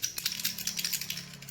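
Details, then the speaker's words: Samsung refrigerator with a cooling problem: PTC start relay removed from the compressor and shaken gives a loose, irregular dry metallic rattle, meaning its start-run shorting contact is broken. Faulty relay, replaced with a good one. "या simple इस relay को निकालने की वजह से हिला के देखो, अगर इसमें से कुछ ऐसे आवाज आता है खड़खड़ाने का"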